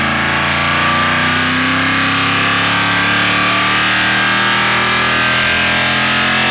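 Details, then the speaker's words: Mopar 451 cubic inch big block stroker (400 B block, cast iron motorhome heads, carbureted) wide-open on dyno: strong steady roar climbing smoothly, no stumble or breakup; float/carb issue resolved, more power; normal full-throttle run. "well that sounds a lot better it doesn't do a little nasty little bout float issue it doesn't do any kind of a carb kicky spuddy any of that stuff issue"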